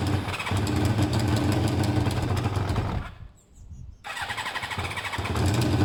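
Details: Motorcycle with two same-size air holes in each one while balancing air and fuel: ragged, loping beat that nearly dies midway, then picks back up uneven; running rough, owner judges it "kind of close".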